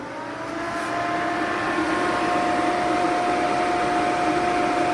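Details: 15-inch Silverado PWM electric fan fitted with a BurnDown/Warr Performance shroud, running on low stage before switching to high after 10 seconds: steady, even whirring hum; measured about 1,700 CFM on low versus about 2,000 on high, with lower airflow at the edges.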